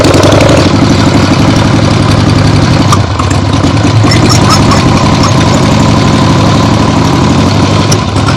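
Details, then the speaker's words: 1975 Harley-Davidson XLH Ironhead Sportster after full rebuild, first short test ride around the block on temporary lawnmower gas tank: loud, steady, even V-twin rumble with no knocks or misses; carb farts probably adjusted out once warm; runs great. "Yeah, just a short test ride. 3 or 4 times around the block of my neighborhood here. Very happy with the way that went. This thing runs great."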